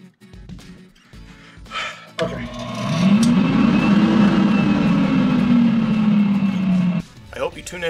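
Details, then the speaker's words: Donated inoperative dust collector motor after troubleshooting and quick repair, reassembled and switched on to check for grinding: spins up to a steady, even hum that holds, no grinding or rattle over background music; sounds healthy. "okay so let me go and turn it on make sure it doesn't make any grinding noises or anything that i don't like"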